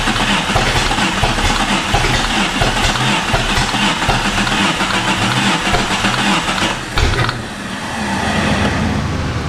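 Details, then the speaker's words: Jeep with a swapped-in replacement engine: starter bench-tested OK and run by a bar; steady cranking for several seconds with no catch, then a brief stumble. Owners suspect an anti-theft device. "I found out that I can stick this bar down through here, and I can run the starter with this, and it's kind of wanting to run,"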